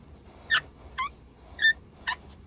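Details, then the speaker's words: 2004 Chevy Silverado extended cab work truck, seatbelt retractor: four short high squeaks as the belt is pulled; owner plans silicone spray on the white roller and pivot points, fix not yet confirmed. "okay guys we got my 04 Chevy Silverado work truck extended cap and the seat tensioners very annoying got that high pitch squeal"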